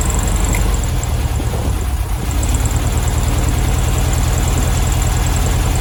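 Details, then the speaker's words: 1972 VW Beetle 1200 at idle after first start in two years: uneven, lumpy beat with a regular stumble and a backfire, cylinder two not firing; owner suspects its mangled-looking spark plug and plans new plugs and a service; misfire. "so yeah cylinder two is not working i'm not firing properly so could be i think that spark plug looked a bit mangled up so i'm gonna get some new plugs for it"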